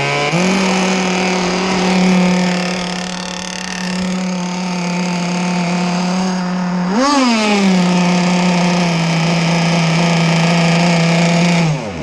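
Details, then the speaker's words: Small two-stroke gas engine in a ZippKits Vbox RC boat, warming up on a cold morning of about 65°F: steady buzz, one quick throttle blip (not full speed) and a clean return to idle; normal warm-up revving. "I tend to let my boats warm up a little bit before I just chuck them in. That's why you hear me rev it. I don't rev it full speed, but just get it warm."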